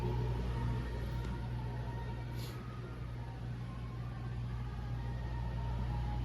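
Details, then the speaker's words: Induction cooktop heating a cold frying pan of water until it steams and boils. It gives a low, steady hum with a faint buzz, the normal sound of induction cooking. "this is an induction cooktop you hear that buzzing that's going on"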